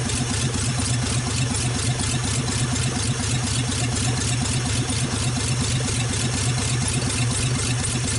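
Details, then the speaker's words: 1948 Nash engine after first start, water hose flushing cooling system, warming up; loud open-exhaust chugging at steady even pace, no stumbles or misses, running well. "okay we got her running good and all that but and I'm trying to get her heated up"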